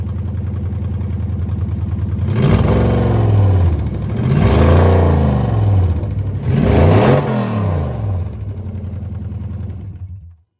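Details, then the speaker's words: 2001 Lexus IS300 with swapped 1UZ V8, after fixing a vacuum leak and connecting the mass air flow sensor: smooth blips, revs climbing and falling cleanly with an even exhaust note and no misfire or stumble. "that thing sounds like it like it's supposed to"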